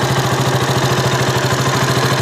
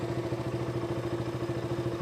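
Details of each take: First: KTM RC 200 single-cylinder idling before the fix; it stalled at idle and when the clutch was pulled. Fine tick-tick sparking sound with brief stumbles: ignition misfire from a loose spark plug cap. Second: KTM RC 200 that stalled at idle and when pulling the clutch, heard after fixing a loose, badly seated part: single-cylinder idle even at about twelve pulses a second, no RPM variation, and the earlier sparking sound is gone.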